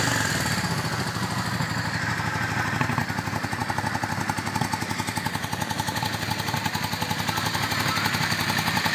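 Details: 2003 Yamaha V-Star Classic touring motorcycle, 25,000 miles, in neutral; even, loping V-twin pulse at about four beats a second at idle, no knocks or misses, healthy.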